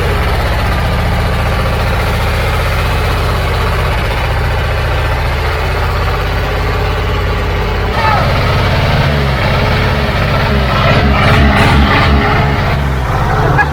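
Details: Old Caterpillar diesel just started after bleeding injector lines; deep even idle, steady firing, no misses, revs rising slightly toward the end; running smoothly.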